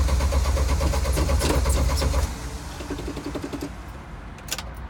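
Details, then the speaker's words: Jeep YJ, thermostat swapped to 195, no check engine light: died when given gas, then steady starter cranking about three turns a second without catching, dropping to quiet clicks; cause unknown. "see that's stepping on the gas and it died died it died we can't start it up again"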